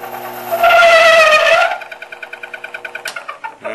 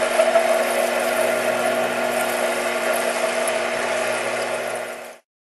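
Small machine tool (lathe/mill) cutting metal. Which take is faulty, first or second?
first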